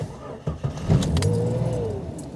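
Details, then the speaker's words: 1991-1997 Jeep Cherokee 4.0 on a cold start after replacing the idle air control valve: it catches and settles into a healthy idle around 1,000-1,200 rpm, where before it idled near 400 rpm, almost dying, when cold. "Oh yeah, much better already. Should be idling around 1,000 to 1,200, so that's going to be much better."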